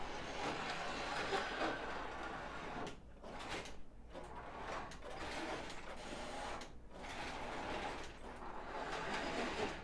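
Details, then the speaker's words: Prewar Lionel 259E locomotive on the test track after drive gear and wheel rework. A quiet motor run with a gritty rasp swelling about once a second; worn gears and a wheel are still rubbing against the motor. "yeah it still makes the noise a little bit so i'm going to retrieve that over here and bring it back you can hear that that noise it makes is that gear rubbing and the wheel rubbing up against that motor"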